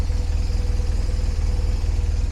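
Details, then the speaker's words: Cheap £1,500 ex-police motorcycle bought on eBay, idling on a frosty winter morning. Lumpy twin idle with a pulsing low thump about ten a second and a faint ringing tone; odd noise, cause uninspected. "o make it back because the bike started making funny noises"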